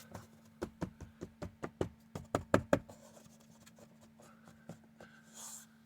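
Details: 2019+ Acura RDX dashboard after wedging foam between vibrating trim surfaces: about a dozen firm taps land dull and clean with no trailing buzz or rattle; dash rattle fixed.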